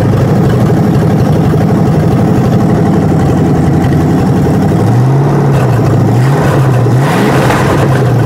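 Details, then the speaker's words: 1967 Mustang 302 V8 on the run-in stand after cam break-in, hot restart: deep, steady rumble settling to an even idle with light blips. Earlier it ran poorly, raising fears of a flat-spotted cam; now good oil pressure and steady vacuum, so it is judged dialed in. "I think it's dialed. I think it is dialed. I think we're good to go, man. Good oil pressure, good vacuum, steady vacuum."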